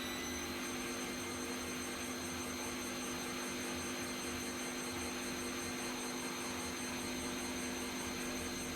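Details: Bosch Vario Perfect WAK28260GB/11 washer, empty, on a 1400 spin cycle: high steady whine with airy rush; reported noisy with possible drum play, bearings suspected, but it may not have reached 1400 and the owner finds it not that loud; unconfirmed.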